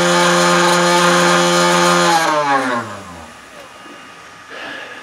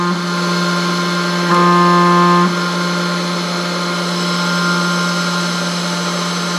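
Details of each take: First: 3018 CNC spindle running with a loud buzzing hum and harsh metallic edge, then spinning down; the rattle is traced to vibrating Z-axis linear rods, which go quieter when pressed, and it causes endmill chatter on aluminum cuts. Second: 3018 CNC after Z-axis linear rod fix, set screws tightened: spindle hums steadily at one pitch with only slight rattle underneath; less rattling than before, which had caused endmill chatter on an aluminum cut, though linear rods limit improvement.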